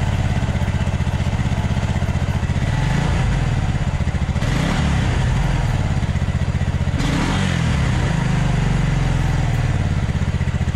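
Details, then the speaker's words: 1996 Suzuki King Quad 300 4x4 ATV single-cylinder before carburetor rebuild: uneven lumpy beat that sags and stumbles, dying at full throttle; running lean, getting more air than gas, carburetor fault. "yeah it's definitely not running real good see i just killed it by giving it full gas which means that full gas is not full gas it means it's getting more air than it is gas"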